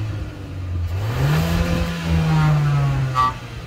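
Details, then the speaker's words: 2023 Kia XCeed GT-Line 1.5 T-GDI turbo four-cylinder, 160 hp, 7-speed DCT: on throttle lift-off a low droning buzz holds steady then fades as revs drop, as if something resonates; source not pinned down. "I mean exhale sounds so funny because there is a strange buzzing sound as if something resonated."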